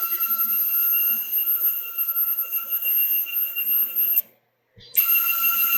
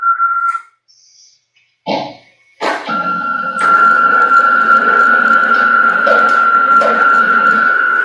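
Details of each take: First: CNC Y slave-axis stepper motors taken off the chassis and run on their own: steady high-pitched stepping tones with a pulsing texture, clean, with no rubbing. They sound perfect compared with when mounted, ruling out the electronics. Normal stepper motor running. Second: CNC router Y-axis with slaved gantry, PureLogic PLCM-E1B controller, jogging before the fix: steady high stepper whine with brief thumps mid-travel, pulsing and non-linear motion, possibly missing steps, traced to a faulty anti-backlash nut.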